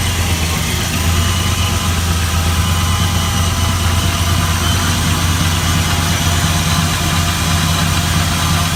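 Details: 1978 Chevy Caprice Classic Aerocoupe, 5.3 LS (LM7) swap with ProCharger, first start-up: deep, steady V8 idle with an even lope and no knocks or ticks. Owner says it sounds real good. Normal idle.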